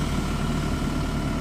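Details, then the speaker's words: Bobcat E50 mini excavator diesel throttled down to low RPM while lifting the main boom: deep, slow, pulsing rumble that sounds strained; this is normal labouring under hydraulic load at low engine speed. "Now the reason it sounds like it's struggling is because I got the RPMs down so you guys can actually hear us."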